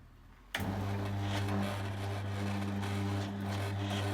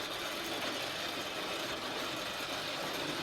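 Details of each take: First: Newly fitted replacement Ellard 100Nm motor on a 10-year-old electric roller garage door, run during limit setup: steady, even low hum with a light whir for about nine seconds, then a clean stop; normal roller door motor run. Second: Original motor on a 10-year-old electric roller garage door, cover off: continuous rough, ratchety grinding as the door comes down; owner suspects a gearbox fault inside the motor, not confirmed; it was later replaced.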